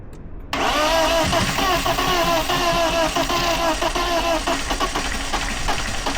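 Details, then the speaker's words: BMW E36 dragged out of a field, cranked at wide-open throttle with starting fluid squirted into the cylinders. Fast, uneven cranking catches briefly and stumbles, firing only on the fluid. It isn't getting fuel. "Well, it does something. Okay. Does something, huh? Well, I don't for some reason I don't think it's getting [Music] fuel."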